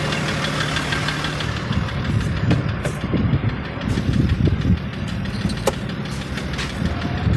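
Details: BMW M57 3.0 diesel idling after injectors removed and refitted (one replaced, one adjusted, wells reamed): irregular sharp knocks through the clatter appeared right after; drives normally, slight black puff at full throttle; cause unknown; engine knock.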